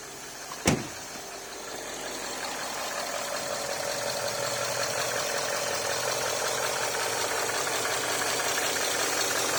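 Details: Range Rover Sport V8 diesel started after oil cooler replacement, already run for an hour with no oil leaks seen underneath. Crank and catch, then a smooth, settled idle with a steady hum and no knocks or rattles; runs healthy.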